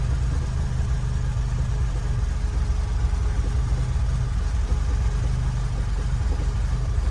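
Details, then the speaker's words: Lotus Elan restomod with carburettors refitted and the fuel line flushed, after idle adjustment: a steady, even idle just under 1000 rpm, a smooth low rumble with no stumble or hunting; normal idle. "what's it like there idle's just under a thousand i'm gonna give it another drive i must admit it feels it feels lovely and smooth at the moment"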